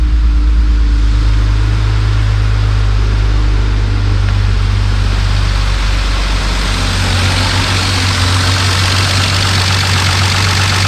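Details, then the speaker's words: BMW E36 M3 S52 engine, sitting since last registered in 2018, started in park on a charging battery: starts right up into a steady, even idle with a deep smooth hum, no hunting; normal idle. "holy thing started right up"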